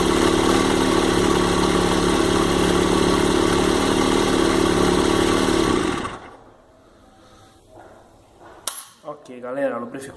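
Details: Honda CG 1999 single-cylinder after fixing rocker arm lubrication fault and polishing clutch: even steady idle at about four beats a second, no knocks or rattles, then clean shutdown; healthy.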